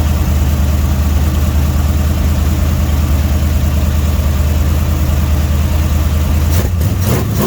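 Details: Dodge 318 V8, budget rebuild, reinstalled after a broken flex plate was replaced and cam and lifters inspected; oil pressure 60 psi, temperature 175–180°F: a deep, steady idle with an even lope, no ticking or knocking; healthy.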